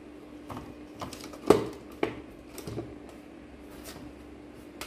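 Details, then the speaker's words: Dental chair solenoid valve rated 30 V DC, bench-powered at 30 V: crisp single click as power applied, softer tick on release; valve switching normally. "this means it will work in DC voltage 30 volt when we apply the 30 volt here uh you can hear some sound like click"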